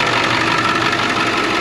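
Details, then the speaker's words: 2001 International 4700 diesel plow truck, heard under the hood at idle: steady, even diesel clatter with no knocks or misses; engine sounds really good. "Looking at the diesel engine in here. Sounds really good."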